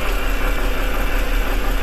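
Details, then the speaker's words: BMW 323i 2.5 inline-six petrol idling: uneven, stumbling pulse, misfire on cylinder 4 (set code within minutes); owner suspects head gasket/low compression on number 4. "can probably hear the misfire in it"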